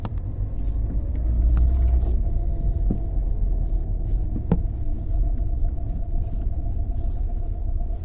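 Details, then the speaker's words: Lada Vesta driving over rough road, recorded from the cabin: dull irregular sharp knocks from the front suspension through steady road rumble, at first sounding like a broken exhaust pipe; traced to worn front sway bar links. "также прилагаю видео как вообще эти стуки проявляли себя правда снимал с салона Но их слышно они такие прямо неприятные"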